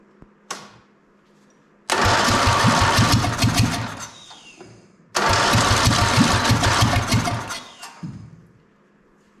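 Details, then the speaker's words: MTD drag racing lawn mower with a Briggs engine, no air cleaner, restarted after sitting 8 years, some of it outdoors, float crushed by frozen water: two attempts, each firing rough for about three seconds then fading out; starts then dies. "was running for a little bit but for some reason it doesn't want to go now"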